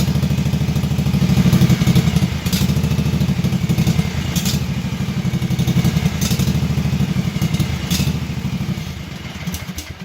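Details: Kawasaki FH series small V-twin engine with single-barrel carburetor, idling low and uneven with a wavering, loping beat; rough idle from an incorrectly set idle mixture, fixed by adjusting the idle jet screw.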